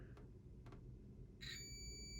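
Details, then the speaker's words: Digital multimeter in continuity mode probing the wires of a plug: silent on the first wire, then a steady high beep on the other, which identifies it as the hot wire. Continuity beep. "that's right there no sound so we know that wire right there is not the hot right but if you go here there you go this wire here must be the hot wire right"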